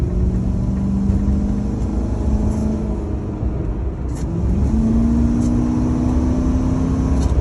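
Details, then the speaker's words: Ford F150 on a short drive after new catalytic converters were fitted and a missing exhaust bracket that caused vibration was reinstalled. It gives a smooth, even, quiet exhaust drone rising with speed, and the computer may still be relearning the cats. This is a normal exhaust, much quieter than before. "Yeah, that sounds pretty good. I like the sound of that. And I don't like a loud vehicle."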